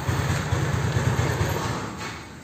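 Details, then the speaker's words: Honda Beat carburetor scooter after replacing worn, loose valve rocker arms and pins, plus piston gasket: low, even single-cylinder drone as revs fall, no tapping from head; previously noisy head now quiet and normal. "sekarang suara motor ini adem banget kagak percaya ini sekarang bisa adem lagi nih motor suaranya mantap Lur"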